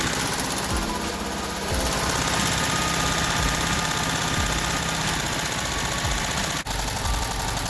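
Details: VW Type 1 air-cooled 36hp, reassembled after suspected bad bearing or rod knock turned out to be the pushrod guides: steady, fairly even chugging beat with no sharp knock; running smoothly again.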